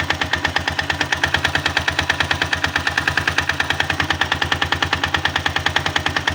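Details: 162FMG-G single-cylinder engine: loud, sharp metallic knock repeating steadily at idle over the exhaust; source unknown, knocking quieter when the machine is tilted to one side.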